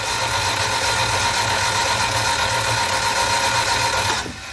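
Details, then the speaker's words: Barn-find Elva Courier Mark III race car cranked with spark plugs out and pump off, building oil pressure to 40 PSI: quick, even whirring about four beats a second, then stops; free, healthy crank with no compression load. "pump off and the spark plugs out which will make it a lot easier to crank and we'll just watch and see if if we get oil pressure"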